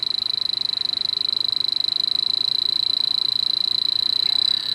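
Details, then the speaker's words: H10 electronic detector on the dirty microchannel coil of a York package unit slightly low on refrigerant with an oil spot: shrill tone with rapid ticking near three per second, rising at the end; refrigerant leak detected, three small leaks found. "there's a real good one right there and then there's one down here mhm so there's three good leaks I found so far"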